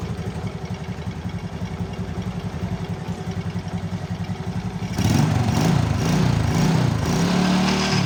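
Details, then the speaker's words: Motorcycle after repairing a stripped spark plug thread in the cylinder head without engine teardown; a snapping noise was traced to a loose exhaust clamp bolt. Starts immediately, small single idles with a steady putter, then revs cleanly, no misfire or knock: normal idle and revving. "Tapi di sini alhamdulillah aman, ya, kita starter langsung hidup."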